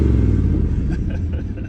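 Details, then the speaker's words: 1965 Acadian Beaumont V8: deep, even rumble with steady beat, no misses or knocks; runs well though it stumbles when throttle is dropped off abruptly. Healthy running engine. "All right, this thing runs pretty good. It's got a stumble. It doesn't like it when you drop the throttle right off, but it runs good."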